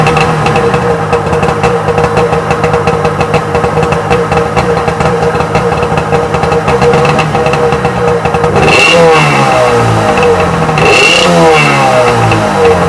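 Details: Freshly rebuilt Sea-Doo XP 720 two-stroke, first run in driveway, driveline disconnected: busy even idle answering two quick throttle blips cleanly and dropping back; engine runs freely, normal.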